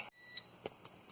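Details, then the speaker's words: Used battery, about two months old and freshly charged, hooked to an inverter charger with solar charger disconnected, before desulfation: sharp high beep then quick chirps about every quarter second; inverter low battery voltage alarm, battery dead. "That is a freshly charged battery. That is dead. That's a low battery voltage alarm. So yeah, dead battery."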